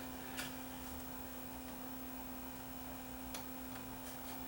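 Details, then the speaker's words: Panasonic DMR-EH50 DVD recorder after replacement parts: hard drive spins up with quiet steady hum and a few soft ticks, then settles; drive working. "okay hard drives spinning up I think it's gonna work you hear it buzzing away"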